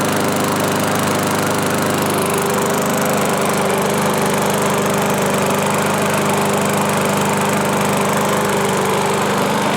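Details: 1986 Murray mower, revived with salvaged parts and fresh oil, started on full choke: steady even buzzing at constant speed with no misses, knocks or surging; running normally.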